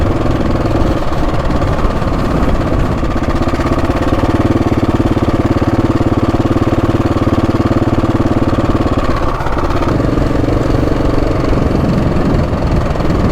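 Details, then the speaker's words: Husqvarna 701 single riding at speed on the trail after an oil and filter change: a steady metallic clatter persists over the engine thump, wind and road noise. Timing chain tensioner rattle, unresolved. "It's still there's like a clattering still coming from the timing chain."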